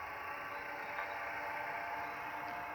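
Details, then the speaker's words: QSC MX700 700 W amplifier that had no power, now powered up during repair: a steady, even airy hum with a faint constant tone and no rubbing or ticking; the cooling fan is running normally. "okay my viewers here we go here we go all right we have power inside yeah fun is running"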